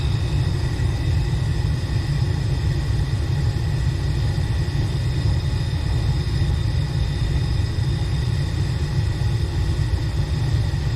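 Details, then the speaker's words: Furnace after replacing a seized blower motor that had been shutting the system down: the blower comes on after the inducer motor and runs with a steady, even low rumble, no knocks, squeals or wobble. Normal blower operation. "um okay there goes the blower [Music] motor process we didn't get that last time we did no movement imagine that motor seems to be working good [Music] so far so [Music] good"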